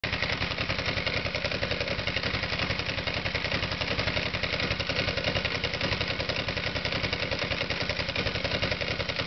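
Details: Petrol engine misfire: spark grounds out along an easier path instead of through the right horizontal spark plug, arcing at about the 5 o'clock position from the plug boot; rough, uneven popping beat with one cylinder dropping out.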